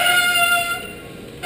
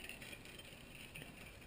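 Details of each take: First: Bicycle front disc brake, pads contaminated by oil that seems to creep down the fork onto the caliper; after Squeal Out deglazing treatment and caliper flushing, braking is strong but a high, steady whistling squeal still comes and goes as the brake bites; oil-contaminated pad squeal. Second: Bicycle front disc brake that squealed, treated with Squeal Out anti-squeal deglazing paste brushed on both rotor sides: dry, gritty constant hiss and scrape as the wheel turns, the paste grinding into the pads as intended.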